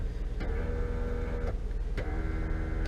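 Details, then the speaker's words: 2000 Honda Accord EX door window: two short motor whirs of about a second each with no glass movement; motor works but the window regulator is broken (off-track also considered), regulator replaced. "Alright, so as you can see, this window works, but this window does not. But if you listen closely, you can hear that the window motor still works."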